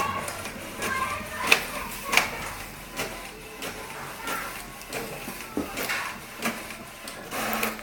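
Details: HP 7612 printer, printing normally: soft carriage swishes and light paper-feed clicks roughly every second in a quiet room; ordinary print cycle (owner had noticed a strange noise only on A3 prints).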